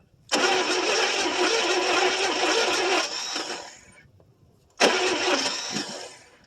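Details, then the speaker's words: 1974 International 200 two-wheel-drive pickup that sat about 25 years with a once-seized, now freed engine; two bursts of starter cranking (about 3 s, then 2 s) with no firing. Owner suspects it needs more fuel and is unsure the tank has gas. "More than likely, she needs some more fuel. I don't know if it's got any fuel in the gas tank or not either."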